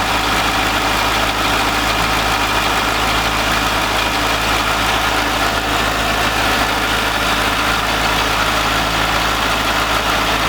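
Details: C5 Corvette V8 first start after 4+ months of repairs (harmonic balancer and front subframe replaced), in neutral: deep, steady, even idle with no knocks or ticks; healthy.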